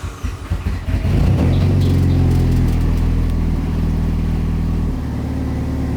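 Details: Freshly built Mitsubishi Evo 9 during break-in idle tuning: engine catches, flares up, then settles into a steady, even idle with a smooth low pulse, no ticking or hunting; healthy.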